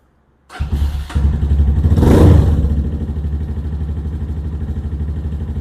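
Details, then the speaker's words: Venom Ghost Chopper 250 single-cylinder started cold right after valve clearance adjustment (0.12 exhaust; compression 200 psi): fires on first crank, revs briefly, settles into even thump about four per second, no tapping; idle slightly high; normal start and idle. "Sounding excellent. [Music] I like the way that idles. That sounds so good. May have to adjust the idle. It's a little high."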